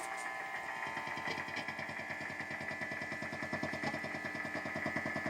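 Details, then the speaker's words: Guitar amp cranked through a wah pedal in home studio: rapid rhythmic buzzy ticking with a thin high tone, louder as the pedal nears the Wi-Fi unit; Wi-Fi interference. "you hear this attack attack attack attack rhythmical clicking sound it goes through the wah pedal now so it's less noticeable in this position but this is how you can hear it so that's the wi-fi unit if i bring the pedal closer you can hear really loud noise"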